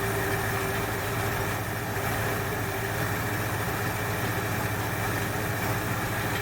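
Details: 1968 Ford Fairlane, flooding carb fixed: even, steady, smooth low idle with no misses; sounds better after correcting a line hooked up backwards, though a plug or two is thought fouled from rich running.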